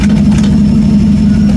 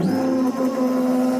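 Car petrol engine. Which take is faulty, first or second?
first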